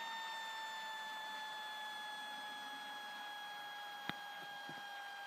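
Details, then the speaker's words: HP Pavilion G7 laptop, used on a lap desk, at startup: steady high-pitched fan whine, sinking slightly in pitch, from dust buildup in the fan wearing it out. "as you can hear the fan is obviously making some sort of noise"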